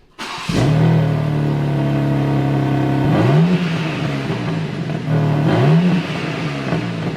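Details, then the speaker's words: BMW M3 with stock exhaust (OPF, silencers, catalytic converters, back boxes), before Scorpion full exhaust fitted: three smooth rev blips, muted even note; normal but quiet stock exhaust. "BMWs aren't known for sounding like amazing anyway, but that just sounds like a mouse whispering. That is not an M car sound."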